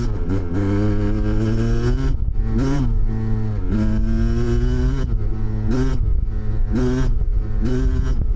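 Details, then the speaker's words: 1993 Kawasaki KDX200 two-stroke after new piston, ridden after second/third-gear break-in, then pulled through the gears toward wide open: rising wail broken by quick shift dips, clean and even with no rattle; healthy. "and then he's going to get on it a little bit and shift through the gears and let it get to wide open a little bit so you can hear what this thing sounds like"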